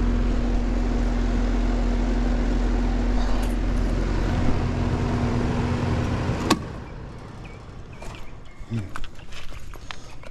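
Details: Compressor hums loudly for about six seconds without starting, then cuts off with a click; locked-up, seized compressor on an AC unit giving no cooling (thermostat set 67, reading 87).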